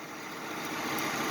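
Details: Engine idling after the noise first thought to be in the motor was traced to the tensioner pulley: steady, even idle with no chirp, squeal or knock; healthy and settled.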